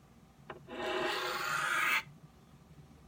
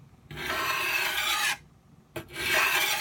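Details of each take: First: Knife on a 12 in Norton India/Crystolon three-sided bench stone, correct angle and light pressure: two even, smooth rasping strokes about a second each, steady hiss without skipping or chatter, edge nearly finished. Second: Old dull knife on a 12 in Norton India/Crystolon three-sided bench stone: blade held at too steep an angle gives a harsh, gritty grinding, scraping rasp on each stroke, two passes with a pause, risking knocking off the edge.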